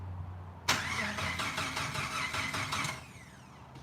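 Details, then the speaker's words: Rebuilt fuel-injected engine: the starter spins it with a quick rhythmic chug for about two seconds but it never catches. Crank-no-start; it does start on starter fluid, so fuel delivery is suspected. "it starts it starts and runs with starter fluid that's one of our biggest biggest clues"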